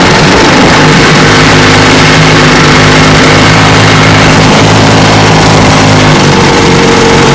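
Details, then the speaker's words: 1954 Johnson QD-15 10 HP two-stroke outboard after restoration and after tightening a lock nut: loud steady even drone, no misses or surging; runs great with good idle and a slight hood rattle. "Runs good. I'm talking about great. Idle's good. Got a little hood rattle. Not bad, a little bit."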